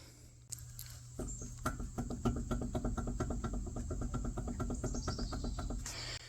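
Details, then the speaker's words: Mercedes W126 300SD, pulling right with a roaring noise while driving: quick sharp metallic clunks as the raised front wheel is tugged at the top, from a loose or worn front wheel bearing. "So, wheel bearing's loose or it's wore out or something."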